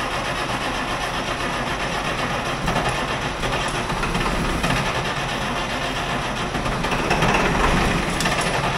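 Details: International wheel loader diesel, sat 8 years, cold start next day with booster: uneven, lumpy clatter about four beats a second, unsteady firing; owner suspects poorly running injectors plus injection timing off.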